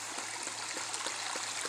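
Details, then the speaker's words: Ram pump with 10-foot standpipe, 1-inch supply converted to 2-inch: steady water rush with soft regular thumps; waste valve cycling about 2.5 times per second versus the advised once per second, yet pumping well. "it's operating a little fast according to Seth Johnson. He said you want about that relief valve to open once per second. I'm about 2.5 times per second."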